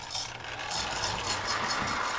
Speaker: it literally sounds like a baby rattle very manly